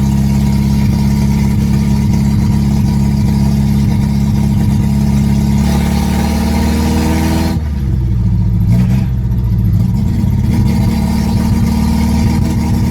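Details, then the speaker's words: MGB GT on first test drive in 27 years; deep, blatty rumble stays loud and raw through idle and revs, exhaust dumps out below driver's feet with fumes entering cabin; no muffler fitted, one needed. Brakes weak, leak suspected. "That is so loud. Like, wow, loud. It's also, the exhaust dumps out right below my feet are, and it's getting in here."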